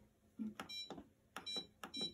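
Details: Maytag MDB8959SFH dishwasher after repairing the sinking start button with a homemade wood support: button clicks then three short high beeps about half a second apart; cancel function answers normally.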